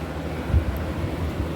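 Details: Kenmore Cool N Lite (GE Carry Cool) window AC, after cleaning and oiling fan, cold day: steady low hum with smooth fan rush, no knocking or rattles; compressor and fan healthy, cold air out, a coil hot.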